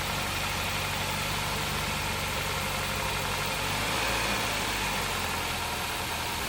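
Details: 2003 Toyota Celica GT with a 1ZZ engine, just revived after sitting: an even, settled idle with a steady exhaust pulse and no deep rhythmic knocking underneath. Some smoke is blamed on rodent debris; the engine idles healthily.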